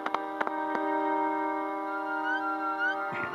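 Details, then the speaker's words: Breadboard FM transmitter broadcasting music; with a small light plugged into a supply line lacking a capacitor, faint chirping whistles slide upward in pitch over the song, supply interference a decoupling cap would stop. "which almost sounds like as part of the song when it's not okay I'll pull that out I need a cap over there"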